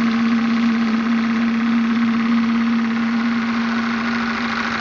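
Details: Graupner 5000 gas-fired model steam engine with condenser/oil separator driving a pond water pump: fast steady chuff with even hum underneath, no knocks or stumbles; running smoothly, just before gas is turned off.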